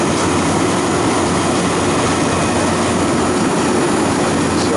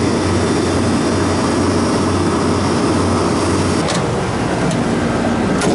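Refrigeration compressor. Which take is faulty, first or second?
first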